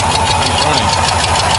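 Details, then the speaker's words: 1991 Ford F150 idling and warming up after a throttle position sensor swap, running on its own for the first time in years, with a miss still present. A fast, sharp ticking over the idle from a badly cracked exhaust manifold; shorty headers are planned. "this manifold very cracked as you can tell we're gonna get some shorty headers for it"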